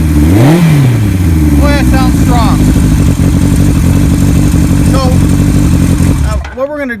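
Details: 1975 Kawasaki Z1 900 four-cylinder with Yoshimura pipes and big bore kit, cams swapped back to original. It revs up crisply, falls back cleanly, then holds an even strong run with no misses or rattles: normal revving.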